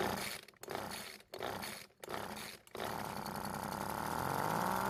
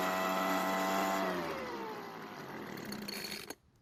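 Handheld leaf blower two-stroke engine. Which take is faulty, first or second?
first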